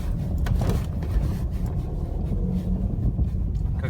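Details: 2013 facelift Opel Astra J with the rough-roads package on original front shock absorbers, running with brake and throttle held: loose low clunks and rattles that also occur on small bumps. Not the calipers; the original shock has play.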